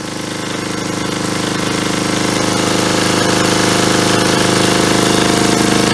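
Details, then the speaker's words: 1977 Agway 1500 W permanent-magnet generator, now fueled from tank, carburetor diaphragm pulling fuel despite suspected hardening: quick, evenly spaced chugging near four beats a second, builds slightly then holds steady; runs well. "longer spe yeah so it sounds like it runs pretty good there I just put gas in it there and that diaphragm seemed to pull it out of that tank"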